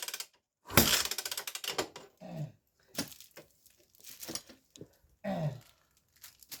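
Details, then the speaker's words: Scorpio motorcycle that died with suspected compression loss, compression check by kicking with a finger over the spark plug hole: a sharp pop as the kick goes through, then a ratcheting rattle. Compression is holding well. "Kita tendang sambil menutupi lubang busi, kawan. Jika ada tekanan atau suara letupan. Ya, persis seperti itu. Itu pertanda bahwa kompresi masih aman."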